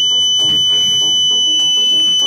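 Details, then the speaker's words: Growatt inverter at first power-up after battery pre-charge, following ground and neutral bond rework: a steady shrill buzzer tone with no faults shown. The inverter alarms until set up for 240 V 60 Hz and parallel operation. "my goodness ain't no more so we have to we're going to get all that set where the thing doesn't alarm of course"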